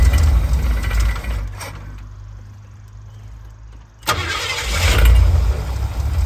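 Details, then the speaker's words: Small-block Ford 5.0 V8 in a van after swapping points for a Pertronix electronic distributor; catches into a low, slightly uneven, loping idle, timing expected off and a little retarded, alternator belt squealing: rough idle. "Fire's right up, that's good. Definitely off on timing, but that's okay, that's expected. A little on the retarded side."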